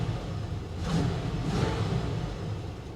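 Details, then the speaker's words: Salvage Buick Roadmaster V8 started cold: a low, even rumble with a steady beat, no stumbles or misfires; smooth, normal idle. "that is cold that is real cold no it's not misfiring no she's running smooth as"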